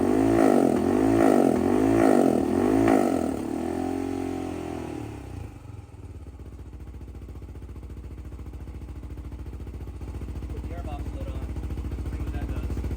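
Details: 2007 Honda 400EX with 155 main jet, needle clip moved from third to second position: a few sharp throttle blips swell and fall back heavily, then lumpy uneven idle; bogs, running too rich.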